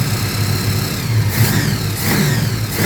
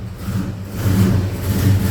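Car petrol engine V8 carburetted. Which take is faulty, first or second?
second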